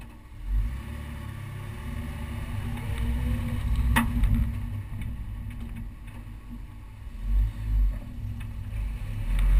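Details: Honda S2000 engine running with one sharp metallic clunk partway through over a low rumble; owner doesn't know the cause.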